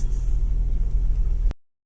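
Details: 1996 Jeep Cherokee after fixing a no-crank, no-start: steady, even low rumble at idle with no knocks, misses or squeals; engine runs smoothly.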